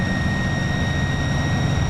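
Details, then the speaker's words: Front-engined Iveco 170S28 bus with an Italbus Bello body, heard from inside the cabin under acceleration: a steady, piercing turbo whistle over the deep diesel drone, from a turbo fault present since the factory. "por problema en el turbo, que vino así de fábrica, por eso este ruido que escuchan de fondo. Es increíble cómo suena el motorcito del Iveco."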